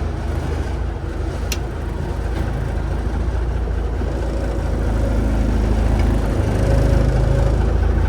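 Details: Peterbilt 359 diesel with newly installed Eaton EverTough clutch and Spicer 6-speed, clutch pedal low as brand new: even drone building gently as truck pulls away, no chatter, grind or squeal; clean clutch engagement.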